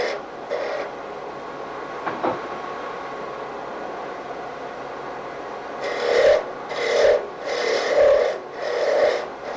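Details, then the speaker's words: Woodturning a Christmas ornament tip on a lathe sped up, with the thin spindle left thick for support: dry rasping cut breaking into rhythmic buzzing bursts, tool chatter from the flexing spindle. Steadied with light hand pressure behind the work toward the tool. "you start picking up a little chatter at this point so you just bring your hand to the side and just get some gentle pressure back in towards the tool steadies things up a bit"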